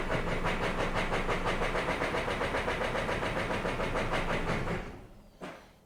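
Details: 3-year-old diesel truck after five fuel-pump priming cycles chugs with a lumpy, labored beat about four per second, then fades and shuts down; barely runs, injector/fuel fault ruled out, motor found completely destroyed.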